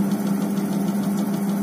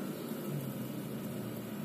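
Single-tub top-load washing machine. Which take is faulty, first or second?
second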